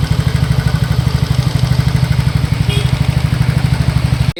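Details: TVS NTORQ 125 BS6 scooter, 7399 km, before repair: steady idle with quick, regular light ticking and rattle over the low thrum, from play in a loose starter one-way clutch and slightly loose tappets; fixed by one-way clutch work and tappet setting.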